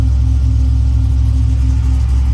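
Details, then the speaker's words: Truck with a newly installed Tremec TKX replacing a failed T5, started on a low battery: smooth, steady deep idle with the clutch released in neutral, with no grinding or whine. Drivetrain sounds fine. "And it runs. Okay, I'm gonna let the clutch out and see if anything goes horribly wrong. Nope."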